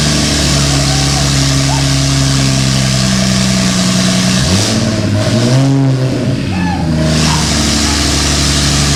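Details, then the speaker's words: First start of an engine swap in a vintage BMW, started with fuel pump prime and start button: engine catches, settles to a steady idle, revs cleanly and drops back smoothly with no stumbles; healthy. "Okay. All right, first start's complete. That was good. That was a rush."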